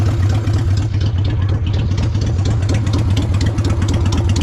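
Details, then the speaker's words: 30-year-old Honda Shadow V-twin idling while coolant is topped up and bled of air bubbles after new fluids: deep, steady lopey thump, even and strong with no knocking or ticking. Still sounds good. "Still sounds good though."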